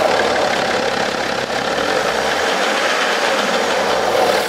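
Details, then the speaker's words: BMW 5 GT xDrive, 3.0 L turbo, revved: dry rattling, catching edge over the roar, quiet at idle; stretched timing chain suspected, engine likely has to be lowered to repair. "아 이제 엔진 소음은 타임이 체인 쪽에 방향에서 다는 것 같아요 요 차량은 에 놓칠 엔진 인데 3.0 t 이제 타임이 체 이 늘어난 걸로 추측이 되고"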